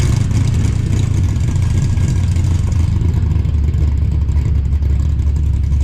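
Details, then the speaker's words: 5.3 LS-swapped S15 minitruck just fitted with Summit Pro LS 8704 race camshaft, tune set for 912 rpm desired idle: deep lopey, choppy idle with a faint clunk of uncertain source underneath; otherwise sounds good. "well a little bit of clunk but still pretty good so pretty choppy and personal sounds good"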